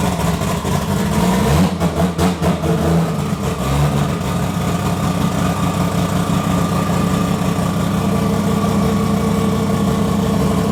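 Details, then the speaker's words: First startup of 1000hp 2JZ build with fuel-pressure and intake-air sensors not connected: lumpy, uneven idle with sharp throttle blips that stumble before settling; rough running. "Yeah, we're missing the sensor on the fuel pressure and the inlet for the air, so she doesn't want to. She's angry right now."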